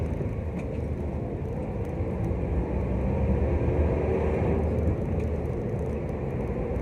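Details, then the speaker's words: Nissan Almera test drive after rear wheel bearing replacement (previously replaced June 2019); before, a humming drone came from the rear wheel around 40-50. Now steady road rumble and tyre noise at cruising speed, no hum; rear wheel bearing normal. "Ayun, fortunately naman wala nang ingay. So, try natin ulit."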